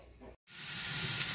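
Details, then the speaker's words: Pressure canner processing frozen peas, venting before the jiggler weight goes on over the vent: sudden, steady loud hiss of steam rushing out, even and unbroken; normal venting. "Sometimes you can see that steam escaping, but you can definitely hear that coming out."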